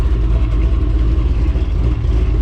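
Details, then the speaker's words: Cadillac CTS-V LS2 with Texas Speed Torquer V2 112LSA cam, ported intake, cat delete, stock manifolds, first start: deep choppy lope shaking the car side to side, quiet valvetrain, exhaust leak audible; aggressive cam, running fine. "don't know if you can see that but the whole car is shaking from side to side that's how aggressive this thing is chopping right now"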